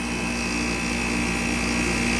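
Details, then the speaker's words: Westpointe MWDUK-05CMN1-BCK0 5,000 BTU window air conditioner (rotary compressor, R-410a), compressor just started and not cold yet: a steady, even hum of fan and compressor with refrigerant charge audibly flowing. No rattles or knocks, so it is running normally. "it seems perfectly content. You hear the charge going through there. No funny sounds."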